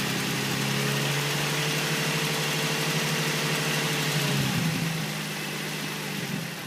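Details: 2005 Nissan 350Z at steady idle: light, fairly regular tick about three per second over the hum, seemingly from below the intake manifold; owner suspects injectors or hydraulic lifters, cause unconfirmed.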